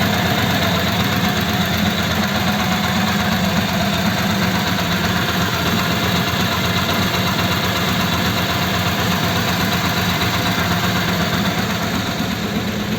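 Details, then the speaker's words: Old French flathead engine in a 1941 pickup, first start, cold at about 8 °C, fresh 20W-50 oil, choke on: steady idle with a thin, constant whine from mismatched cam and crank gears (a gear was changed earlier). "n hear that it's got a wine and that is a wine that you get with a mismatched Cam and crank gear"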